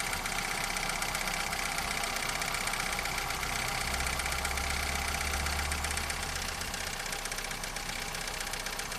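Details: Toyota 4S-FE engine: sharp regular knocking, roughly 158 per minute, over a steady idle; definite internal knock, source unknown.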